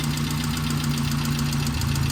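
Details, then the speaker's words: 1988 Saab 900 Turbo idling just after being brought back to running: steady low idle with a light, fast ticking from the top of the engine keeping pace with rpm; owner suspects lifter tick, fluids unchecked, exhaust leak also present. "it is making kind of a bad noise it might just be lift or tick honestly"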